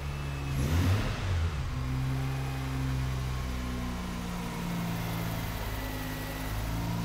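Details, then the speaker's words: Freshly rebuilt rotary engine, first start after same-day rebuild, assembly lubricants burning off with smoke: smooth even hum rising and falling with throttle blips, no knocks or misses; running very smoothly. "we have takeoff oh my god how smooth is that sounds that is so smooth"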